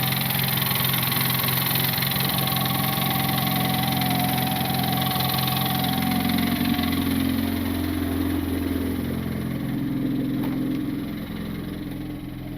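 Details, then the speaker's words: Turbo R18 Honda Civic at rough idle with the belt off (no belt whine): steady tapping knock still present, suspected internal engine knock, not confirmed. "Oh, come on, boys. Let's do it. Oh, still knocking."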